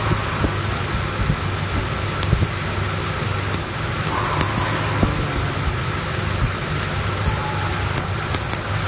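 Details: Toyota Tacoma 2RZ-FE with factory original Sumitomo plug wires idling unevenly with irregular skips and pops; misfire because broken-down wire insulation lets spark cross into another cylinder.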